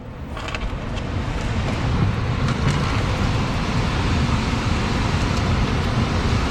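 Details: 2011 Payne HVAC system after replacing a failed blower motor with a universal ECM motor and mounting the capacitor: airflow rises smoothly over two seconds, then holds a steady, even rush with no knocking or rubbing; normal blower operation.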